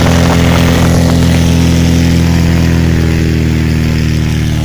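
Strong, steady deep drone at high power with an even beat and no misses or knocks; the engine pulls cleanly and runs healthy.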